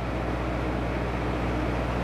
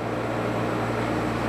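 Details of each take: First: Toyota 2L-TE diesel Hilux Surf with retrofitted 1KD-FTV CT16-V variable-geometry turbo, free-revving with vanes opened: smooth, even drone without choking, no boost; engine breathes freely. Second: Toyota 2L-TE diesel Hilux Surf fitted with 1KD-FTV CT16-V variable-geometry turbo replacing CT20; vanes held fully closed at about 2,000 rpm. Steady diesel drone with faint airy whoosh of turbo spooling; no fault heard.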